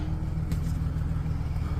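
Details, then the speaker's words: 2008 GMC Sierra 4.3L V6 after ignition coil replacement for P0305 misfire, check light gone: low, steady idle with even beat, no stumble or earlier shaking; owner thinks misfire may be gone, normal idle. "Light's gone. Sounds like throttle response is up there. And before I'd feel a lot of shaking, so feels like the shaking kind of went away too."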